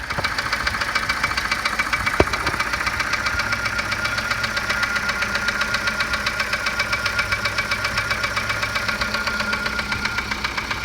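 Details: 1987 Volvo 740 Turbo at idle, running on three cylinders due to a faulty plug wire: steady, fairly quick knock about four beats a second, louder at the oil pan than the valve cover; a shop said low-end piston slap, owner doubts it, cause undetermined.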